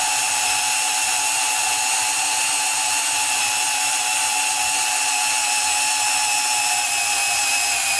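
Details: Rebuilt Milwaukee 2429-20 M12 sub-compact band saw with new housing cutting 1/4-inch steel plate, near its capacity: steady high blade hiss and constant motor tone, motor laboring slightly from its small size but smooth; working properly.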